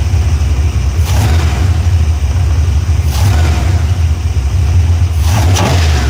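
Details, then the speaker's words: Engine that had just been run minutes before, cylinders still warm: it fires right up and settles into a steady, even low rumble with a few light blips. Normal warm start. "okay now that's a normal start because we had just started it up"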